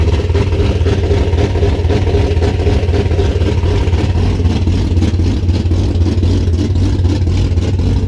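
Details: 1973 Duster engine idling at startup after reinstalling resurfaced heads: steady, even low rumble with regular beat, no knocks or ticks; sounds good, small valve cover gasket leak to tighten, owner hopes no more water in the oil.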